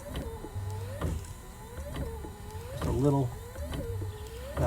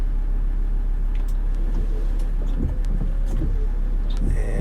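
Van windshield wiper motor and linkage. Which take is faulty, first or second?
first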